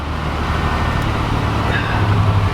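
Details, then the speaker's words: 1987 Buick Grand National, junkyard car, still cold and warming up; a low, uneven idle that sags as if about to stall; the cause is not yet found. "Oh, car's wanting to stall."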